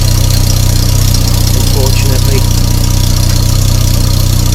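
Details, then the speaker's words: 1994 Volvo 480 ES 2.0-litre, first start after long restoration on a boost starter: steady loud idle with rapid even puffing, about four per second, rasping over the engine note; suspected large exhaust leak, possibly near a bracket. "oh we've got it started on our last attempt that sounds to me like we have got a Monumental exhaust"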